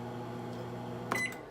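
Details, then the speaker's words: GE microwave after replacing the faulty door switch that tripped the breaker: steady low hum running evenly, short beep near the end, no stumble or cut-out; works normally, breaker no longer trips. "There you go. It's working now. And the breaker's not tripped anymore."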